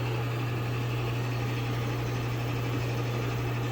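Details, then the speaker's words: Old LG front-load washer after replacing the shot drum bearings and torn spider arm, running at extra high spin: steady low hum, smooth and mostly quiet, with no screech or grind. "here's the washer all assembled running at extra high spin"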